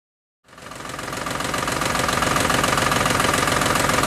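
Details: Ford Modular 3V V8 at idle: light regular ticking rattle from the top end, suspected worn cam phasers, cause not confirmed; later fixed with Livernois phaser lockouts.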